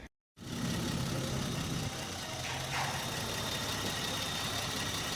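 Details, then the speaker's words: Engine idling after a Megasquirt standalone ECU install: even, steady idle with a low hum and no misses, lumps or knocks; smooth and quiet, healthy idle. "is that smooth or what and quiet"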